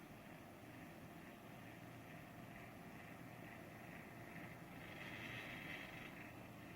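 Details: INOQ IA-C12 circulator fan: steady droning whir with a rough, buzzy edge and a faint higher whine on top; the fan sounds abnormally noisy, cause unclear.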